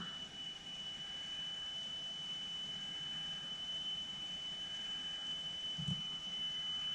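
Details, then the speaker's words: 1988 Alpine 5255 cassette deck after drive belt replacement, playing a 3 kHz test tone: a steady pure tone over light hiss while the motor speed pot is adjusted upward until the reading is 3.00 kHz. The tape speed was slightly off and is now calibrated. "so if I just turn it on the speakers you'll be able to hear the [Music] tone and I can adjust this slower or faster so I'm just increasing the speed until this reads 3 khz on the"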